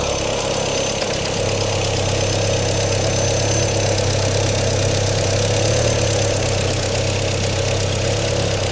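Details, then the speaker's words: Audi autocross car revived after years parked: steady idle with an uneven, lumpy beat and faint knocking undertone, bad exhaust smell; running rough, owner suspects old gas running through the system, not confirmed. "As you can hear, the Audi is having some issues. Hopefully, it's the bad gas."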